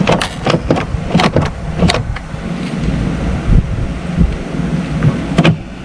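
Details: 70hp Johnson outboard on a Nitro 165TL bass boat, lower unit locked up from water freezing in winter, test-started on old battery before lower unit replacement: a few sharp clatters cranking, then a steady low burble idle; starts and idles fine.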